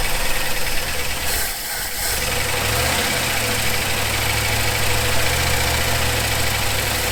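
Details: 1974 Ford F100 4x4 V8, long parked, running on starting fluid with choke open and unhooked: after a brief blip, settles into an even, steady idle with a firm low beat; runs properly.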